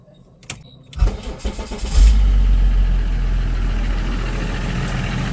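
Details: Range Rover L322 3.0 BMW M57 diesel after fitting a second-hand replacement turbo and changing the long-neglected oil filter and oil; starter churns about a second, engine catches and flares, then settles to steady even low idle; normal start.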